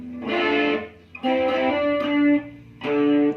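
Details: AX1000G multi-effects, after repairing noisy dirty ambience, delay and modulation: clean guitar notes with smooth swirling modulation and quiet gaps, no hiss or crackle; the effect now sounds clean.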